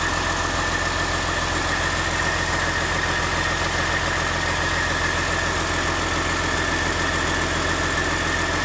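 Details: Caterpillar C13 diesel on its first start after a rebuild for a destroyed camshaft, lifters and general wear, runs a steady, even idle with a constant low beat and no knocks or misses; normal healthy idle.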